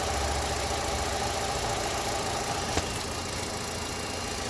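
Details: Opel Astra H 1.4 66 kW at idle: a light, rapid, somewhat uneven knock of about three or four a second from under the engine; exact source not pinned down, cause suspected, not confirmed.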